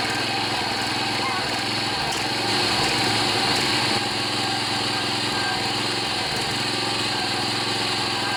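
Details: John Deere 14PB self-propelled push mower with Kawasaki 5.0 hp OHV engine, after carburetor clean and rebuild of plugged slow and main jets: runs smooth and steady at constant speed, no misses or surging.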